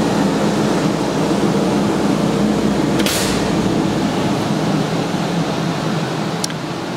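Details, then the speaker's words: Zephyr Engineering LaserVac 1,500 CFM pulse-jet dust collector for laser or plasma CNC, 3 hp motor, just after switch-on: steady even fan roar with one short sharp air-pulse blast about three seconds in (startup pulsing); quiet, normal running. "upon turning it on it's going to pulse as well as you can hear it's a really nice quiet running machine no issues"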